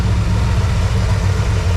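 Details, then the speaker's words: Dodge D100 after a Mustang rear fuel tank swap, with dual exhaust; the power steering pulley noise was fixed by realigning the pulleys, and it is now pulling gas from the new tank. The engine holds a deep, even idle with no belt whine or squeal. "We are set at 6. Everything's running, and it's pulling gas from the tank now."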